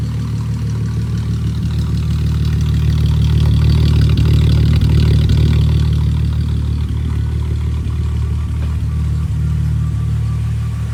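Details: Smooth, even low idle with a steady firing beat and gentle rise and settle, no misses or knocks, on a VR6-swapped 1984 Volkswagen Rabbit GTI after a fuel system rework; first start, no leaks, healthy.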